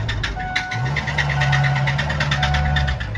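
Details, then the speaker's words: 400,000-mile 6.0 Powerstroke diesel, bearing debris in oil filter, sharp metallic knocking repeating rapidly and unevenly; rod knock, spun rod bearings suspected. "Oh God, oh God, oh God. Oh, that sounds so bad."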